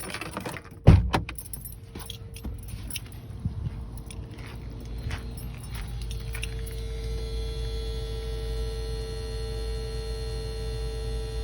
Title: Gen 2 prius cluster at night led headlights turn off power off and inverter pump, buzzing noise